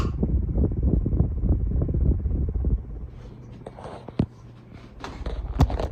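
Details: CEC Casablanca Mercury copy ceiling fan running: low uneven rumbling thumps around three per second, then a quieter rattle with clicks, from bad motor bearings; reverse switch also faulty.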